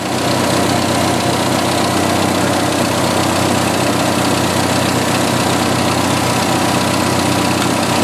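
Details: 1986 Jeep XJ 2.5L petrol engine idling smoothly and evenly after a crankcase ventilation vacuum leak from an incorrectly fitted valve cover was fixed; it had been running very lean. Blow-by appears normal, with no knocking, hissing or misses.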